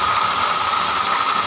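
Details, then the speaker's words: BMW engine running with a rough, hissy grinding growl and thin constant tone; water pump bearing worn loose and dry, pump noisy even turned by hand, quiet with belt removed; fix is replacing the pump. "Nah ini bunyinya di water pump jadi suaranya ngorok begini teman-teman ini kalau teman-teman punya kasus yang sama mesinnya ngorok kayak gini indikasinya water pump ya teman-teman"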